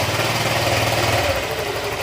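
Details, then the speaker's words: Honda Click 125 V3 scooter at idle with the pulley removed: a rough, gravelly rattle stays, pointing to a loose camshaft, not the crankshaft that three mechanics blamed. The noise started after a tire change and an exhaust leak was already fixed. "Okay, ganun pa rin yung tunog nya. camshaft, mayroon maluwag, ibig sabihin problema lang nito hindi sigunyal, camshaft lang ang problema nito."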